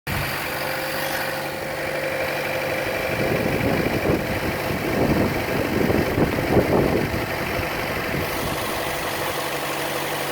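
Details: Chevrolet Cruze at idle, camera moved around the engine: light tick about three per second over steady idle, louder than normal engine tick, most noticeable on the belt side; cause unknown.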